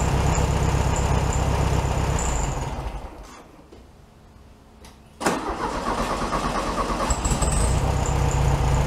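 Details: 1967 VW Beetle 1500cc, carburetor reinstalled with a new base gasket: cranks, catches quickly and settles into a steady, even idle a touch fast as it warms up. Normal healthy idle, probably slightly high.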